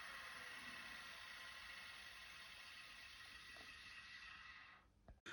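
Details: 1980s full-height 5.25-inch vintage hard drive, opened: steady high whine of spinning platters at even pitch, then cuts off; spindle overspeeds, with a head found not fully seated down on the platter as the suspected cause.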